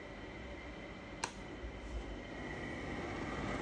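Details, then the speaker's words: Portable AC whose PCB had not powered on: low steady fan and compressor hum with one brief click, no rattle; compressor and indoor fan motor running together normally. "അതുപോലെ തന്നെ ഇതിൻ്റെ compressor work ചെയ്യുന്ന ടൈമിൽ തന്നെ indoor fan മോട്ടറും work ചെയ്യും."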